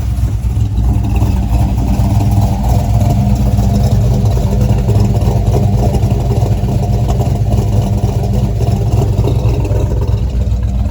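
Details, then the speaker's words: 1985 Chevy C10 small-block V8 with cam, newly converted to ACES EFI, untuned: deep, loud idle with a choppy cam lope, steady with no misses or knocks; sounds better than it did with the carburetor. "Yeah, it sounds better on the EFI than it ever did with the carburetor."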